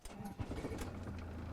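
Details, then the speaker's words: 1995 Pilote Galaxy 24 motorhome, Peugeot Boxer 2.5 L turbo diesel at 111,500 km, engine warm: brief crank that catches at once and settles into an even, low diesel idle. Healthy start; a slight dashboard vibration is not from the engine. "Ça démarre au quart de tour. Bon, le moteur est chaud, hein."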